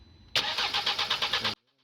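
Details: 2015 Nissan Qashqai cranks but won't start: just over a second of rhythmic starter churning, about eight even pulses, then silence, and the engine never catches; caused by an airlock in the fuel line.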